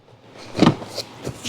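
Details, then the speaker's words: 2014 Jeep Wrangler Unlimited Sahara after lubricant was sprayed into the brake pedal to fix a squeak: a few soft pedal thumps with no squeak or creak. The pedal now works smoothly and quietly. "You may have to spray it several times to get it to work, but as you can tell now, we have no noise and it works smoother. So, quietness. It works good."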